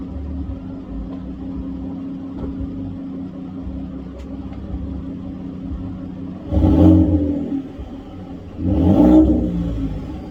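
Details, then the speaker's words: 2015 Ford F-150 Lariat, 3.5L EcoBoost, with a new Corsa exhaust and cold air intake: low mellow idle then two quick throttle blips rising and falling cleanly; not too loud, healthy, unstrained exhaust. "actually very excited about this one so not too loud not super annoying just enough that because I mean again I'm not 18 anymore uh so I just wanted something mellow"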